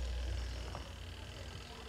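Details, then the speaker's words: Spin dryer of a twin-tub washer, powered on: only a faint, low hum from inside as the motor fails to turn; a winding is broken. "io-on natin dito ayan hindi siya umikot pero umugong siya sa loob"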